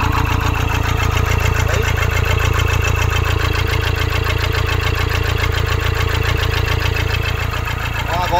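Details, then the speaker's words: 2013 Toyota Hilux 171 hp KD diesel, won't run after washing, scan shows injector communication and rail pressure faults: disconnecting injector 4 changes nothing, idle stays loud and lumpy about four beats a second with one dead cylinder; injector 4 faulty, replaced with new original. "ó desliguei o quarto bico o carro pegou vento então a princípio a gente tem um injetor até agora com defeito tá ó"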